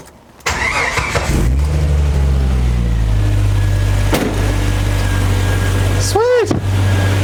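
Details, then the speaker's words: 1992 Jeep Wrangler YJ 4.0L, start right after replacing and tensioning the serpentine drive belt to cure a squeak: short crank, steady even idle, no belt squeal; squeak gone. "The squeak is gone!"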